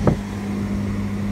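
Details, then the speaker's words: Fisker Karma with Cadillac XLR HVAC system, AC running: steady low hum with droning rumble underneath at high fan speed; blower motor sounds like it may be running off balance. "i can hear that fan run god that's noisy yeah that's the this is the sound i don't know if you can hear the rumble of the blower motor sounding like it's off balance but there's a rumbling in there"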